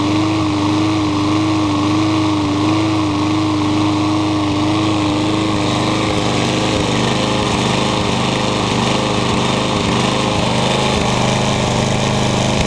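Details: Troy-Bilt TB360 mower with original carburetor cleaned and tank cleaned: runs unevenly, skipping and popping every few seconds; misfire, cause unknown, owner plans to check flywheel key and timing.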